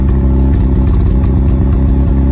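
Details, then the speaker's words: Mazda FD RX-7 rotary idling too high after fuel pressure regulator and gauge work (target 30–40 PSI): loud, low, uneven lumpy idle with popping and stumbles, possibly a misfire; AFRs improved, issue unresolved. "so there's a there's a stumble there we did confirm it somewhat of an issue"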